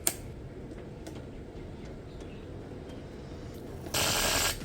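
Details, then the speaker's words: Marshall Woburn/Stanmore speaker (unit without battery) at power-on: sparse crackles and ticks over a low hiss, then a harsh half-second burst of static, like shorting; cause suspected, not confirmed. "เป็นงี้นะครับมีเสียงช็อตนะครับน่ากลัวอยู่โอเคนะครับผมนะฮะก็อาการประมาณนี้นะครับคือเปิดปุ๊บไม่มีเสียงช็อตๆตึ๊ดๆๆเงี้รีบปิดนะครับกลัวผม"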